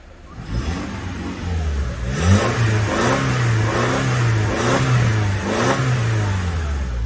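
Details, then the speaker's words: 2009 Lexus ES 350, 3.5 V6, 152,000 miles, salvage rear-end damage; free revs blip up cleanly from idle with smooth rise and fall, no misses or knocks. Engine runs well, though the car does not creep in gear. "Although the engine is running good, but I'm not sure why it's not actually, like when you put the car into gear, you know, like the car should crawl on its own power without like hitting the acceleration pedal, but this car doesn't do that."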